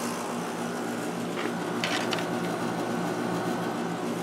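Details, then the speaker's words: 1996 Holmes 5200 BTU air conditioner made by WCI, LG compressor, fan on low, output air about 40 degrees: smooth even hum with soft fan hiss, no rattles or knocking; compressor running quietly and healthy. "That's our air output temperature, about 40 degrees. And very quiet compressor."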